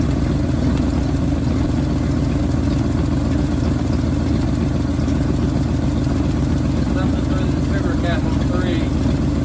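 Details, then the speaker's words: 1971 Ford bumpside wrecker truck V8, now getting proper fuel after a fuel pump change, idles steadily with a slightly uneven loping beat; cylinders three and seven not firing, owner suspects spark plugs. "cylinders three and seven are not firing um probably the spark plugs"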